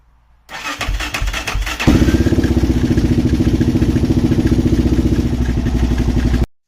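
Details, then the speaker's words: LTZ400 quad with fuel, spark and compression, throttle zip-tied open, wire jumped: cranks, catches briefly, chugs unevenly about four pulses a second then dies; sounds bad, cause not yet known. "I'll listen to it a little better and uh now that I have access to the ignition it won't be as crazy but yeah it didn't sound good though"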